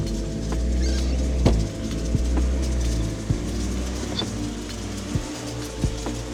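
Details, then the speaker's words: Cheap high-mileage Honda hatchback with aftermarket blue-filter air intake, cold start: steady low drone with scattered sharp irregular ticks, idling a little rough; not the most perfect running car, full maintenance planned. "Yeah. So, that's a little cold start right there. Like I said, not the most perfect running car, but hear out the engine sound."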